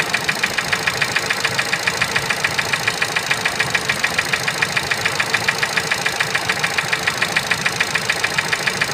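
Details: Ford Focus 3, 125 hp, 1.0 L engine at idle: sharp, even metallic ticking knock about three and a half per second riding over the idle; engine knock of unknown origin.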